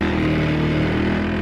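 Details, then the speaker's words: McLaren 600LT, about 9,400 miles, hot day around 107 degrees, driving: loud buzzy chainsaw-like rasp over steady engine drone from a loose underbody tray vibrating. "Dude, the car sounds like a chainsaw right now. It's that under tray right there. That is actually so annoying."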